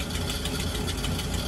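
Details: Camper "Freedom" with coolant (Prestone) leak, engine still cold at idle; quick, even ticking about seven per second tied to engine speed.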